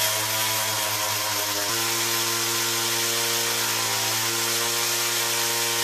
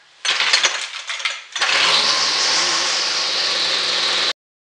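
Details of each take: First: 2-stroke weed whacker after a carburetor clean, rewind repair and air filter housing fix, carb remounted and started on full choke. A buzzy howl steps in pitch and wavers on throttle; the initial hesitation persists despite adjustments, cause unknown. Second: XT200 2-stroke weed whacker after carburetor, rewind and air filter housing repairs, running a little crisper. After a sputtering pull it holds a clean, steady high-pitched buzz with no misfires, running well for a used machine.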